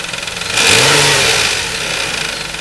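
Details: 2004 Nissan Quest 3.5 engine at idle then briefly revved: fast metallic chatter that swells with revs, a worn, slack timing chain starting to go.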